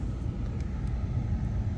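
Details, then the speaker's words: 2004 Duramax truck with intermittent blinking ABS lights, blower dead on speeds 1–4 and ABS pump cycling when blower unplugged: blower now runs with steady even rumble and airflow; fuse is missing power from hot-in-run, suspected loss at ignition switch or upstream. "sounds like we got the blower working so we are somehow missing power to that fuse which should be coming from hot and run"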